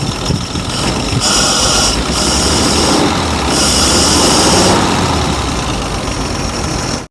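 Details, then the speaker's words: Abandoned 1949 Dodge truck flathead, revived in the field without new parts after pulling heads, running without coolant as water pump is locked: steady even idle with soft rhythmic chuff, no knocks or misses; normal idle. "it's nice and quiet thank you this is a remarkable one brother sounds great it sounds good huh sounds good I like it"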